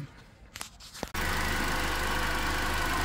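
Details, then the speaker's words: 2010 Toyota Corolla that had a misfire, now idling: steady, even, smooth low hum with no stumble. The scanner shows no cylinder misfiring, and idle rpm has dropped from just over 1000. "ya muchachos parejito parejito Ah miren Miss fire ningún cilindro está fallando ahorita"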